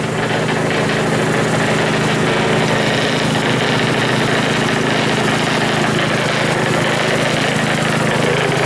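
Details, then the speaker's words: Rebuilt Powerfist small petrol engine running with idle set very high via carburettor idle screw; fast steady beat with loose rattle, like a plate tamper. "I idle it up really high you can adjust that with a screw under here there's a screw on the carburetor thing here that you can adjust under here"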